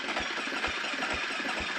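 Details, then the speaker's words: KTM 350 four-stroke dirt bike with Lectron carburetor, previously repaired pulser coil, now no spark: slow, laboured cranking with evenly spaced thumps about twice a second, engine barely turning over; low battery suspected, jump pack planned. "I might need to take the seat off and get a jump pack on this thing because that like I said that just does not sound like it's turning"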